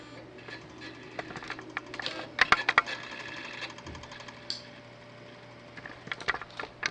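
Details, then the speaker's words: Imation SuperDisk drive loading an installation diskette: irregular bursts of scratchy grinding and chattering ticks as it seeks, uneven rhythm; sounds broken, files then cannot be read. "Let's put that in. Sounds awful. Sounds like something is broken."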